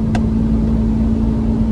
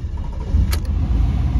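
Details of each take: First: 1997 Chevrolet Camaro RS 3.8L V6, code P0305 cylinder 5 misfire, driving uphill under load: engine drone with a sharp backfire pop, worse below 2000 rpm; plugs, wires and coil pack tested good, coil still suspected. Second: 1997 Chevrolet Camaro RS, 3.8 L V6, after replacing the failed ignition coil on cylinder 3, driving uphill under load: steady, even low rumble with no stumble, just a brief click; normal running, misfire gone.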